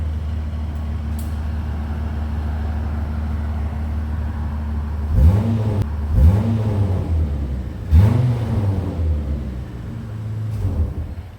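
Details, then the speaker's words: Mitsubishi Magna VRX, original worn-out exhaust rusted through with holes, stock rear muffler and short tip, heard from inside with window up then outside: steady idle and throttle blips with raspy, farty low bark; exhaust leak before custom exhaust fitted. "Sounds a little bit farty, doesn't it? Well, let me give you a listen from outside."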